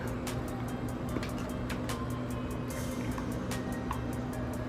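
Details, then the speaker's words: Polar Lights TikTok RC car, powered on the bench before cleaning: steady electric motor hum with fast even ticking from the drivetrain; gear and motor noise, owner thinks the gears are dirty and plans to clean them with alcohol. "I'm not talking about that H it just sounds dirty to me so I'm just going to go ahead and um get some alcohol and clean these gears off pretty good and just go from there"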